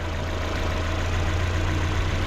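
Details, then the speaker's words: 1997 Mazda Miata NA with newly installed replacement engine, first start: even, quiet low idle with steady hum, no knocks or misses; temperatures and idle good, no coolant leaks. "She did it. Temps are still good, idle's still good. I need some gas, but you know, she's golden."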